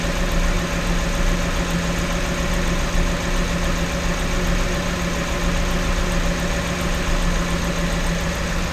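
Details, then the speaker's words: 2012 Ford Raptor 6.2 V8 after replacing the right-rear exhaust manifold with new gaskets and studs for a broken stud: smooth, even idle with no ticking or puffing; exhaust leak fixed. "I was so happy that this actually stopped the exhaust leak and worked that I just decided to call it a night"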